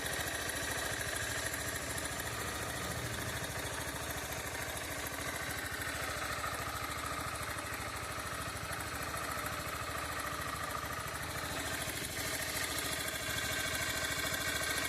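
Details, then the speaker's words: Honda CG160 motorcycle with near-zero mileage, started in the morning: steady running with a fast, uneven ticking rattle over the exhaust note, around three a second, happening every morning; cause not identified. "Que barulho é esse aí jovem dá para mim falar sobre esse barulho aí ó toda vez de manhã que liga é assim"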